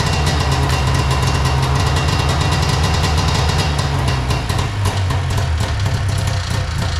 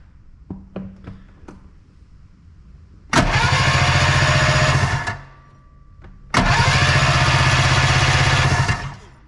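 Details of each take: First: Arctic Cat Puma Deluxe 340 snowmobile, sat about 10 years, after filling carb float bowl; loud steady two-stroke burble running cleanly; owner suspects tank supply problem, pressurizing tank gets fuel to bowl. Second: Arctic Cat Puma Deluxe 340 snowmobile, sat about 10 years, cranking with primer fuel in cylinders; steady even cranking never catching, no spark; ignition coil primary later measured 0.8 ohms, suspected wrong, grounding also doubted.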